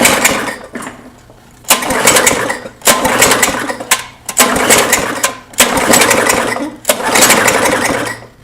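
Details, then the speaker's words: Old Tecumseh lawn mower engine, believed pretty well blown, not starting even after ether: six quick pull-start bursts spinning freely with no chuff or resistance and never firing; very low compression. "you guys can hear that just shows you how much little comp compression there is"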